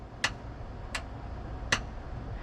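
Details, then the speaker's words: 1979 GMC C15 truck, dash radio: turned on, the single top-of-dash speaker gives three sharp isolated pops with no program audio, so the amplifier is probably working; radio being removed to send out for repair, cause not pinned down. "i'm not sure if you can hear that but the speaker it's got a single speaker up in the top of the dash and it pops which that means the amplifier is probably working"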